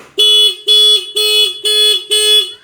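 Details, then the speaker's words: Honda New CBR150 motorcycle fitted with a WDA touch-sensor anti-theft alarm: five loud, high-pitched beeps about half a second apart, clean and steady, as the alarm sounds with ignition on; touching the sensor stops it. "Saat alarmnya berbunyi kita sentuh sensor maka alarm akan berhenti."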